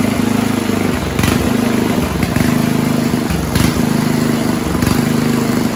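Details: 1970s Roper 1032 snowblower, probably 10 hp Tecumseh-style single: surges and sags about every second, rhythmic hunt at idle. Idle circuit lean; after fixed-jet bowl swap, slightly richer idle mix got rid of hunting.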